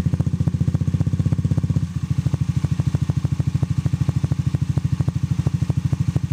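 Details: Honda Zoomer-X engine at idle: sharp, even ticking about two and a half clicks per second from loose valve tappets, calling for valve tappet clearance adjustment.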